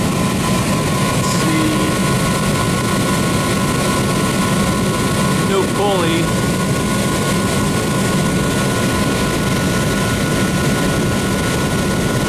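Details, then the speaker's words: Rheem 8-ton AC unit after the blower belt was replaced: steady, even rush of air with a constant low hum, no knocks or squeal. Motor and blower are running normally. "that's fine it looks good everything sounds good the motor is good good"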